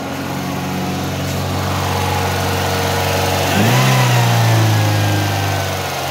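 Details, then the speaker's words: Toyota Vios with hard-start problem, running after fuel pump replacement restored fuel pressure: steady but slightly high idle with a brief blip; throttle body suspected dirty, to be checked. "Yun mga boss goods na umaandar na medyo mataas lang yung menor niya"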